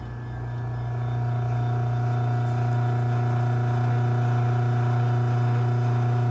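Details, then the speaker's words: LiftMaster 8587WL garage door opener, made February 2021, after two new travel modules and a new board: steady, deep, droning motor hum while the door travels; not very loud going down but really loud going up. "and there's the lock so it's not terribly loud on the way down it's on the way up that this thing is really loud"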